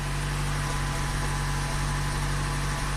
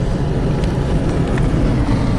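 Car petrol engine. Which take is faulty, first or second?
first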